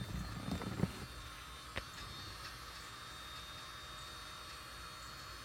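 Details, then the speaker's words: 2013 Hyundai Sonata with a new battery will not start after a steering-column part was replaced: on push-start it tries to turn over, then the engine stays dead while a steady, quiet fan whoosh runs on until the button is pressed again; cause unknown. "pushing the brake it goes like it wants to start and then you can hear a fan going in the engine"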